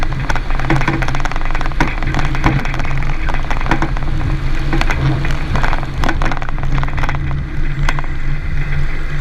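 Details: 2017 Renault Duster 4x4 suspension knocking only on passenger side while driving, persisting after replacing shock kits (bump stops, boots, mounts), stabilizer link and both sway-bar bushings: irregular hollow knocks and clunks over road rumble, source not found.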